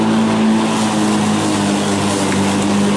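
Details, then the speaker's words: Black & Decker battery mower, third year, new replacement battery, self-propelled mode, end of mowing: steady, even hum holds pitch under load without sag or surge; running strong, motor as good as new. "and I am using the self-propelled mode and it's doing great no problem at all"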